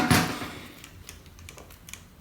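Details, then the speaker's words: Panasonic Lumix GH5 body shaken with mic, Gorillapod and base plate removed, lens still on: a few loose light clicks from something free inside; owner suspects the floating sensor, not confirmed; internal rattle. "still something shaken and it's not least I've removed those little catches on there I removed those ages together that doesn't sound right"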